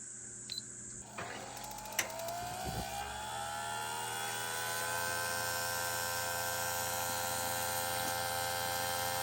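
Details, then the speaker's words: Propane camper shower water heater in a van: quick string of spark ticks, then a rising hum and whoosh as the burner ignites, on minimum heat setting after the pump was lowered for gravity feed; heater lights and runs normally. "Instantly hot water. I don't know if you heard it. Spark, spark, spark, and then it went and it ignited."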